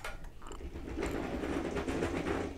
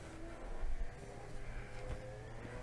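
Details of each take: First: Golden BuzzAround mobility scooter with a broken transaxle, before repair, pushed forward and run briefly: irregular gritty crunching and clicking from the rear drive, pointing to broken gears inside the transaxle. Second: Golden BuzzAround mobility scooter after its broken transaxle was replaced completely, running at about 5 mph: soft, low drive hum with a gentle whine rising and falling with speed, no grinding; small bump from a tyre flat spot.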